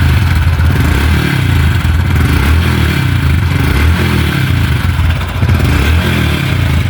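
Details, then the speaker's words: Honda Biz 100/110 motorcycle engine revving and dropping back with a loose, tinny clatter like a loose can inside the engine, oil level fine; cam chain rattle, tensioner suspected. "parece que tem até uma lata ali dentro do motor solto"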